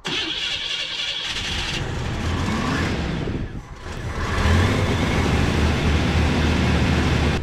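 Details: 1976 GMC truck cranks at a steady, labored rate, pauses, then cranks again without firing; spark and coil checked, and the owner suspects a vacuum leak from a vacuum line wrongly routed into the air breather. Crank no-start.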